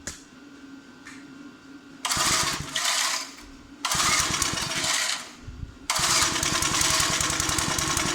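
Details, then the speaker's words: Old 20-ton Clarke log splitter, roughly 3.25–3.5 hp Briggs & Stratton that sat 10–12 years, with the original carburetor quickly refitted after the new one failed and no governor linkage: it catches after a pull, then surges and sags unevenly, running ungoverned. "One of the issues is this lacks the linkage to hook the governor fin back on there. But anyways, it starts."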